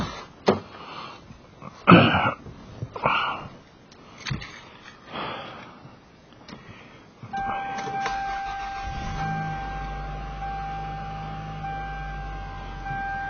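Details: 1995 Toyota Camry DX, after replacing the cracked engine air intake hose: engine catches after a brief crank and settles into a smooth, steady low idle hum with no knocks or misses; normal start and idle.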